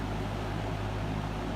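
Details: 1970s McGraw Edison 20-inch Penncrest reversible metal box fan, sold by JC Penney, mint condition, on high from the intake side: steady, even airy rush over a low constant motor hum, no rattle or wobble; runs smoothly.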